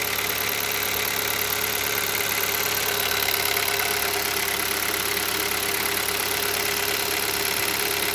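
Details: Hyundai Solaris 1.6 cold start: fast, fairly regular metallic ticking about three per second over the engine at cold idle; engine knock when cold, cause unknown.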